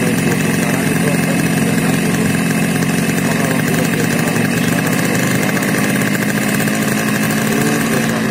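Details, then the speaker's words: Yamaha RX King two-stroke carburettor bike: loud, raspy drone with a burbly, uneven edge, sputtering when the throttle opens at low revs and louder while riding; rich low-speed running from an oversized pilot jet. "video Hai kondisi atau gejala saat motor atau karburator pilotnya terlalu besar ya atau terlalu boros Tuban bakarnya di putaran bawah ya gejalanya berupa telur gejalanya merebet saat kita geber di saat kita mau berbuka gas tuh dia merebut ya"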